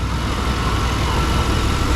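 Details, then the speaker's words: 1992 Chevy C1500 Fleetside V8 idling right around 700 rpm after the fix, now firing on all eight: a deep, steady, even rumble that stays stable with the AC on and in reverse and drive, with no hunting. Normal idle. "up at right around 700. oh that's perfect absolutely perfect sounds so much better when it's firing on all eight imagine that"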